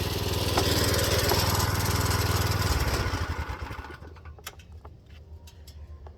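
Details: Go-kart small single: runs strong and even for three seconds then is shut off; not throwing the chain, sounds fine, though owner suspects fuel in the oil.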